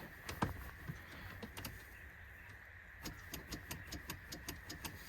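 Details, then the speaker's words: Holden VN SS Commodore paddock find, long stored: key on gives quick sharp even clicks, two or three a second, with no cranking; starter clicking traced to a loose starter terminal wire, no immobilizer seen. "I can hear something clicking, but nothing much else going on, so let's see."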